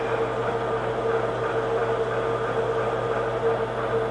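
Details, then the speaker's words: Newly built hobbing attachment gearbox on first test run at about 250 RPM, high end of hobbing speed, bearings unoiled; steady, even mid-pitched hum with no knocks or grinding, some slight noise but running smoothly. "A3 250 RPM this would be at the high end of a hobbing speed I can hear it a little bit there but that's not"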